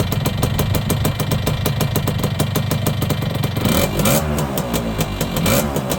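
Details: Yamaha YB100 two-stroke after fitting a new exhaust: crisp, rapid popping held steady, then smooth rises and falls in revs with no rattles or blowing; engine runs cleanly.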